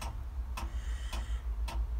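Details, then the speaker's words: 1976 Ford truck with a 7.3 IDI diesel, cold start: with the key on and the glow-plug button pressed, sharp relay clicks about every half second over a low hum, and then it won't fire. The glow-plug controller is cycling abnormally; suspected, not confirmed. "all right apparently it's not supposed to be doing that so I'll show you what happens wait till it quickly stops see it doesn't fire now"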